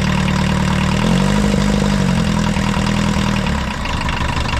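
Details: 1980s VW Rabbit diesel pickup, abandoned for years, first start with little coolant and gravity-fed fuel (no fuel pressure): rough idle with a loose, uneven knock about three per second over the clatter; rod knock or piston slap suspected.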